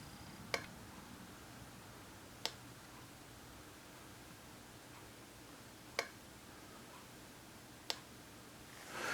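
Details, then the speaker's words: TimeUSB battery charger, with the battery thought to be nearly charged: sharp, isolated ticks every two to four seconds in a quiet room. The sound comes from the charger rather than the battery, and its cause is unknown. "I happened to hear this noise this ticking sound and I was like what in the world is that noise so it sound like it was coming from the battery what it's coming from is this charger"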